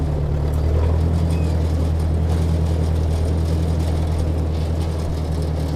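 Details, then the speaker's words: Ford Workmaster 641 (601 series) tractor after tune-up (carburetor rebuilt, timing adjusted, points, condenser, plugs gapped) pulling uphill under load in second gear with a 3-point hitch rack; even, steady drone with no surging, normal running. "Already can tell way better. No surging climbing. Just a nice steady purr."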